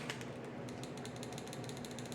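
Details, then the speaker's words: 1970 Pontiac Firebird LS1 swap, cleaned fuel injector bench-tested off the car with an injector connector: crisp, even string of sharp ticks several per second, injector opening and closing freely after being blown out. "all right so that injector is cleared up opening and closing"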